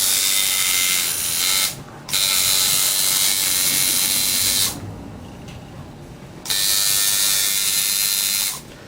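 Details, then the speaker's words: Coil tattoo liner machine tuned with contact gap about a dime thickness: crisp, even high buzz in short runs, steady rate, no stutter; normal running. "I can barely slide a dime in there. That's about the right thickness there. Sounds about right."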